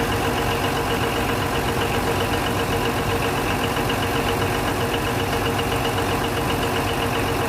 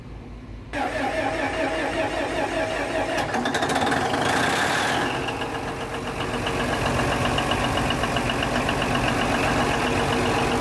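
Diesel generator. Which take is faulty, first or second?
second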